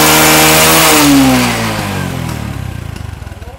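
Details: Honda Future 2 motorcycle after repair for persistent exhaust smoke: small engine revs, then falls smoothly to even idle, no knock or rattle; light smoke remains until warm.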